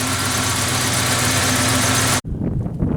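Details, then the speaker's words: 1988 Ford Ranger idling after reassembly with only the intake cleaned, ignition timing still slightly off: lumpy, unsteady idle with an uneven shake; cause unknown. Rough idle. "And even now, as you folks can probably see, it's running a little rough. I don't quite know why."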